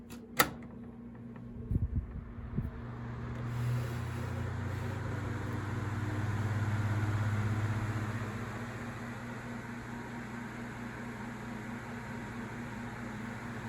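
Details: Vintage Galaxy 9-inch desk fan, believed model 2154, the second of a 70s/80s pair: after a few clicks it settles into a steady low hum with a soft whoosh and no rattle. The motor sounds different, thought to be a higher-quality old Sanyo motor.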